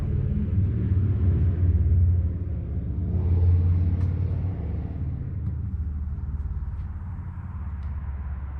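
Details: Harley-Davidson Fat Boy, sat a couple of years, after fuel valve diaphragm replaced: low loping V-twin rumble settling into steady uneven-firing idle, nothing rattling; runs fine.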